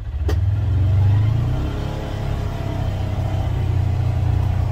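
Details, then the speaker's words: Polaris Ranger XP 1000 Crew after two years of ownership, pulling away from a dead stop in high gear: engine revs smoothly into an even, steady pull with no chatter or slipping. CVT clutch engages cleanly and is still in great shape. "my point that I'm trying to make is you don't really hear anything it sounds very normal you don't hear anything because the clutch is still in great shape"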